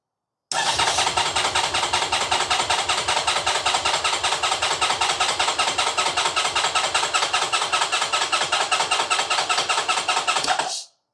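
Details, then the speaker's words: 2010 Honda VFR1200F that misfires and won't idle, cranked while reading the oil pressure sensor: the starter churns at about five strokes a second for ten seconds and the engine never fires; cranks but no start. "It doesn't want to fire at all now, but it does seem to be building up by increasing oil pressure."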